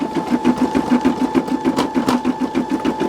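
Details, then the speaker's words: Brother SE625 embroidery machine stitching the nose and mouth of an in-the-hoop Christmas ornament: crisp, even popping about three times a second over a steady motor hum; normal stitching, with knots adding to the pop. "And sometimes what that is is it's just because the knots and it's it's normal. That sound is normal. Don't let people tell you it's not."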